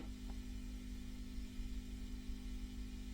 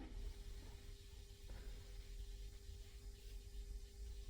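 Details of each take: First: Restored 1970s Selmer Treble & Bass 50 SV valve guitar amp idling quietly with a low, steady mains hum buzz, common to these amps; attributed to a bad ground point, cured by moving it to star ground. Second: Restored vintage 1970s Selmer Treble & Bass 50SV valve guitar amp, after moving the preamp cap-can ground to a star ground, idling on the bench: very quiet, only a faint transformer hum that comes and goes with bench vibration.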